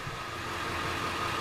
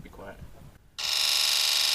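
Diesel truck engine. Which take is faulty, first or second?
second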